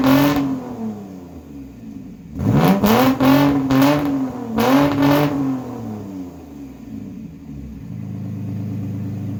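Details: Mitsubishi Eclipse 3.0 V6, straight-piped, after timing belt and water pump change: loud revs rising and falling unevenly, choppy idle between. Rear cam timing off by one tooth.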